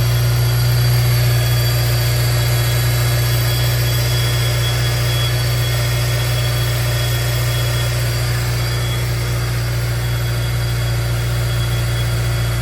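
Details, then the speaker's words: 2003 Honda S2000 on a cold start at idle: a constant high thin whine over a steady idle. Owner suspects a failed tensioner pulley bearing, not confirmed. "so this is a cold start makes this weird [Music] noise"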